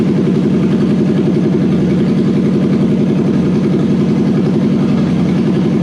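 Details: Toyota 1UZ non-VVTi V8 from a Soarer with stock Soarer ECU and auto, swapped into a Landcruiser on a fresh loom, testing supplied airflow meter and igniters: steady, even V8 idle with a smooth low pulse, no knocks or misses; engine sounds healthy.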